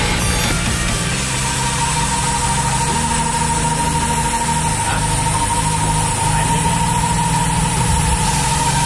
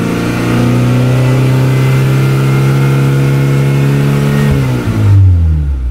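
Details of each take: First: F22B1 VTEC engine swapped into a Honda Accord Maestro CB7, idling after the power-steering hoses were refitted: a steady high whistle over an even idle. Ignition timing was not yet set right; adjusting the timing made the engine smooth again. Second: Honda Accord Maestro CB7 with swapped F22B1 VTEC engine, iridium plugs, VTEC crossover set to 3800 rpm; revving in neutral, pitch climbs evenly then hardens near the top: normal VTEC engagement.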